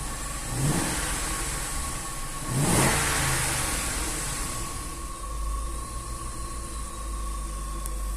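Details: Range Rover 4.2 supercharged V8 idling at about 700 rpm: two clean throttle blips rise and fall smoothly, then settle to a quiet, even idle with no ticking or knocking.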